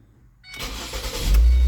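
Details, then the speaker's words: Vehicle with code P0400 fixed thanks to a vacuum cleaner, codes not yet cleared, checking for the previous extended crank: short crank that fires almost immediately into a strong steady idle; starts cleanly. "Starts right on up. Let's shut it down and start it back up. See if it has the extended crank. Oh, starts up perfect."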